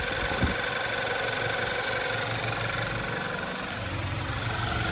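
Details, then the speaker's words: Quiet, even idle with a soft steady beat and no knocking or ticking from a 2011 Volkswagen Tiguan on its first run after the engine was reinstalled, no leaks; healthy normal idle. "it's still purring pretty sure this is idle already and she's nice and quiet no knocking no nothing like that"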